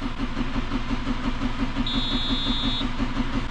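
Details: Farm diesel on a frosty morning around minus 7, air in the fuel after priming: steady rhythmic cranking at about three strokes a second that never catches until it is primed longer and builds pressure.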